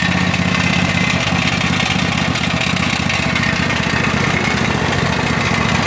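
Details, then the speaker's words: Craftsman DLT3000 tractor after ethanol fuel damage, now running with a new backfire solenoid, main jet, fuel lines and tank grommet: steady single-cylinder putter with no misses, some smoke from water and oil in the exhaust after lying on its side; normal running. "it the most craftsman runs doesn't run too bad is smoking there a bit some water and oil gotten exhaust and headed up on its side"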